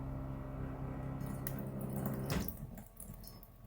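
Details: Jayco trailer drinking-water dispenser pump after noise-reduction fix, recorded at the sink: soft, steady low hum for about two seconds, then dies away; ambient mid-20s dB, the pump reaching about the middle 50s.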